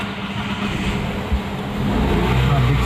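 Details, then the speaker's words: Renault Kwid after no-crank no-start fixed by replacing faulty starter motor: engine catches and rises to steady even idle, smooth low hum, no starter grinding. Normal start and idle. "देख सकते हो मेरा गाड़ी normal start हो गया है"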